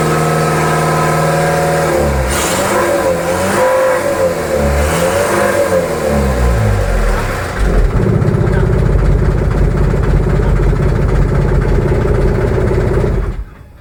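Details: Mitsubishi 4D32 diesel start: catches and revs up and down through several blips, then settles to a steady, heavier run; no clear knock.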